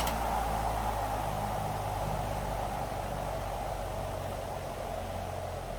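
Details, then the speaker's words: Vintage ILGJET 24-inch type Q air circulator fan after replacing 6203 bearings, on high then low: soft steady air whoosh, faint low hum, slight even flutter; runs smooth and quiet, blade slightly out of balance. "All you hear is the sound of the wind, and that's it. In fact, I bet if there was no guard, it would probably be even quieter."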